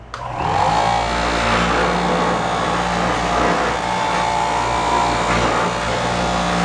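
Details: Yard-sale Maimin cutter after repair and transmission fluid, test cutting high-density memory foam: steady, even constant-pitch motor hum with no knocking, rattling or grinding; running smoothly.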